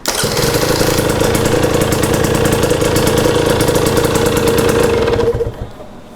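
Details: 2022 Husqvarna TE250i two-stroke, 157 hours, last heat-cycle start after a top-end rebuild: fires right up into a crisp, even rattle at steady revs for five seconds, then shuts off cleanly; normal running.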